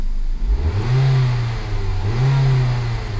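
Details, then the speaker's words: Ford Focus after new spark plugs, coil packs and valve cover gasket that fixed a misfire; two quick throttle blips, revs rising and falling cleanly with no misfire or stumble, injector rattle normal, much less engine vibration. "so now I'm just going to give her a few revs make sure everything sounds okay you know for science"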